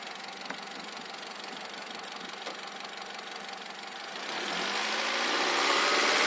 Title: Rod knock or valve adjustment